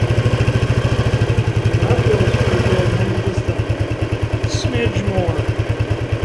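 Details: Restored 1976 Honda XL175 single, first ride after restoration with the clutch adjuster just set: steady, even thump pulling cleanly under load with no slipping flare; clutch grabbing properly, normal engagement.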